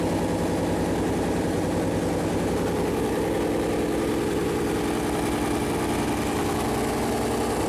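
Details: Freshly built Chevy Performance 454 big-block V8 on a run-in stand, first start: deep, steady rumble at an even idle with no knocks, ticks or misses. Normal idle; oil leaked afterward from the plastic oil-gauge line that hit the warm headers.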